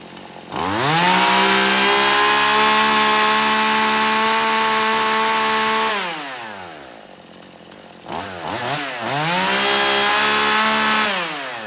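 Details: Poulan Pro chainsaw, hot after carburetor adjustment (screw turned in until it cleared); revs crisply, holds a clean steady high scream about five seconds, drops to idle, revs again; smooth, healthy final tune.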